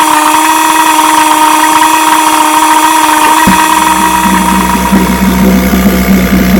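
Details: Vintage restored-then-repaired outboard, Monday start test after the fuel valve was opened with the engine already primed; steady tone shifts partway, then settles into an even, regular idle with no misses or knocks; 5-minute run done; healthy.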